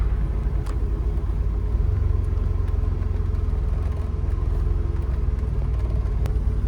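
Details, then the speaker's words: DeLorean warming up on a hot day with AC on max: low even idle rumble with slight rise and fall, an idle hunt as the computer adjusts fuel mixture, which only happens while warming up; normal warm-up idle. "Now, after a few seconds, when the car is warming up, you're gonna feel kind of a A little bit of an idle hunt. That's basically where the computer is adjusting the fuel mixture."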